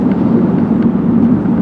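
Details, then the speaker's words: 2002 Ford Taurus LX, 3.0L V6, 4-speed automatic, test drive: a steady low hum and roar of tires on pavement while cruising, attributed to worn rear tires on the way out. "Those rear tires, as I said, they're on the way out. I can hear them. So there is a tire noise, which is to be expected when the tires are going like that."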